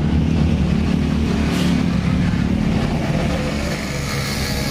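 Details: Honda Scoopy with 12-inch rims idling with a loose, uneven CVT clunking knock about three times a second, likely from a loose front pulley roller housing in the CVT case.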